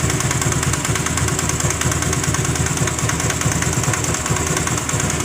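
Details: Honda Grazia BS4 scooter idling with an engine sound problem: a sharp puffing tick about twice a second over the engine note; compression leaking from a loose spark plug.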